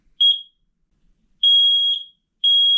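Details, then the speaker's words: Newly installed smoke detector, dated to replace in 2029, test button pressed; loud piercing high-pitched alarm in long repeating bursts, confirming it works normally; smoke alarm test, normal full alarm. "So we want to make sure that it's working we can go ahead and push this button here to test it"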